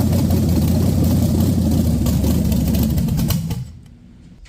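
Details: Junkyard-built SBC 350 for 1984 Camaro, hydraulic flat tappet mystery cam, Vortec heads, GM Performance intake, on engine stand: steady even lope about three seconds, then clean shutdown; sounds healthy, no leaks seen.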